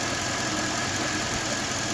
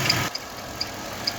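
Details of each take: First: Petrol engine idling with a new non-original ContiTech accessory belt, fitted alongside a new water pump and rollers, after spraying silicone on the belt: squeak gone, steady even hum; the belt itself, not the rollers, caused the squeak. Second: Engine idling with high sharp chirps about twice a second from a new ContiTech serpentine belt, fitted with new water pump and idlers; spraying silicone on the belt stops the squeak, so check the belt before replacing idlers.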